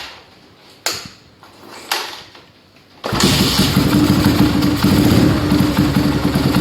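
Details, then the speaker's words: Yamaha Scorpio after tune-up (valve adjustment, carburetor cleaning, new intake manifold, oil filter cleaning, oil change): a few clicks, starts at once, settles into an even steady idle, smoother after valve adjustment, air screw about 1.5 turns; normal idle. "Bisa kita lihat di sini suara mesin lebih halus ya setelah kita setel klep tadi, dan juga untuk setelan anginnya kira-kira di 1,5 sama."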